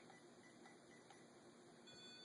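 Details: Mel-8704R-REM-EMT-SDD meter's REM antenna held near a fluorescent light as sensitivity is raised: faint, short electronic beeps repeat over quiet room tone as it picks up the field. Normal EMF detection.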